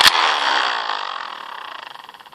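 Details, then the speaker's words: Heavily used hand-crank light dynamo after sitting a few months; a squeeze, then a whirring spin-down that turns ragged and pulsing as it slows; runs rough, possibly from light rust buildup, but still works. "there you can hear a little rust build up where it's been sitting for a few months or something but still works"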